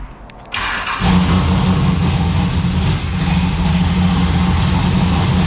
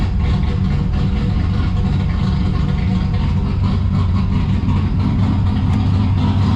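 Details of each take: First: Turbocharged V6 Ecotec drift car on one of its first runs: engine catches and settles into a lumpy idle with a tinny buzzing rattle from a loose exhaust part, traced to either the Y-pipe or the rear exhaust section. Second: Turbo V6 Ecotec drift car with a T76 turbo: steady, loud idle with an uneven, choppy lope and no rattle or knock over it; a healthy engine with an aggressive cam.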